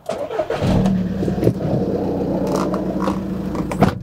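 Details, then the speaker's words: Cheap used Volkswagen Eos diesel running with an uneven clattering rattle and loose knocks from a noisy dual mass flywheel. A new clutch and flywheel are needed. "there we've got a noisy flywheel so straight away we're into 800 lb for new clutch and flywheel"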